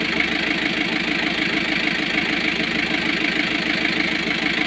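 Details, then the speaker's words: Kia KC2700 diesel, recently overhauled and hard to start, injection pump suspected; uneven stumbling idle that keeps dropping a pulse; misfire at idle persists, cause not yet confirmed. "So meron pa din. Namamalya pa rin siya. Ayan oh. Humihinga-hinga pa din siya no."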